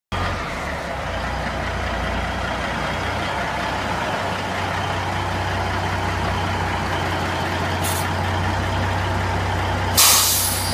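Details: 1971 Kenworth W900A diesel truck, first time out of the shop after an 18-month rebuild, running off a 20 L drum: steady, even idle with a deep low rumble and no knocks or rattles, then a short air hiss near the end; normal idle.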